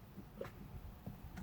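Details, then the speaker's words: 2018 Chrysler Pacifica, all dash indicators on, third start attempt: only a few faint clicks and a steady dash chime, no cranking. Won't start; owner suspects a dead battery and jump-starts it. "i'm going to start this one and I don't know vise it's not working it has all indicator on but I tried to start maybe it had dead battery it's my third time"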